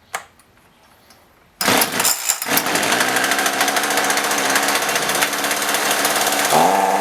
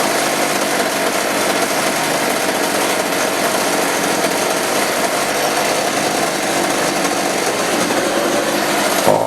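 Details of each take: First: Roughly 35 cc chainsaw with 14-inch bar that won't rev and falls on its face; after a quiet pause a high raspy buzz that never climbs cleanly; bogging thought to be from a bad spark plug that still showed spark. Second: Chainsaw that wouldn't rev, after carb adjustment: high, steady, raspy buzz at full speed without surging or bogging, then cuts off; runs properly.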